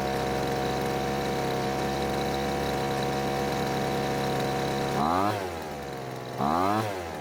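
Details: Poulan Pro blower that stopped while in use, after adjusting the H (high-speed fuel) carburetor screw: steady high buzz, then two clean throttle blips rising and dropping smoothly; normal running.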